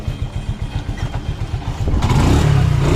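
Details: Old Hero Super Splendor motorcycle engine after timing chain work: even, steady thumping idle, then a clean rev with no rattle or clatter on top; the cam chain sounds quiet and healthy, normal idle.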